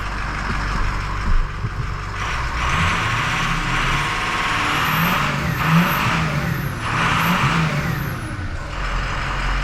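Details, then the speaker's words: 2006 Ford 6.0 Powerstroke diesel after replacing an injector that stuck open and let combustion gas aerate the fuel. An even rumble with smooth revs and a rising and falling turbo whistle, no clatter or knock; issue solved. "there we go hey she's not clattering and banging and knocking now sounds like a 6 liter"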